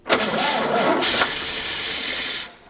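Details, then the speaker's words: GMC 3500 long-bed pickup, sitting since 1995, being brought back: engine catches briefly with a loud, even hiss that stops when it dies; vacuum leak, later traced toward the vacuum advance. "oh my gosh do sound like a vacuum leak don't it"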